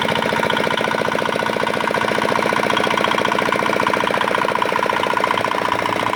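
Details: Repaired old, modified Chinese R180 single-cylinder diesel for wood splitting, previously prone to bearing knock and seizing despite a crankshaft replacement: fast, perfectly even thumping beat, no knocks or misses; runs healthy and steady.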